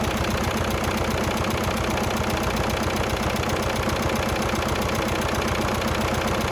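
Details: 1996 VW Passat TDI diesel just started cold, with the alternator putting out only 11.87 V: sharp regular tick about twice a second over the idle clatter; owner expects it to go away once warm, cause unconfirmed.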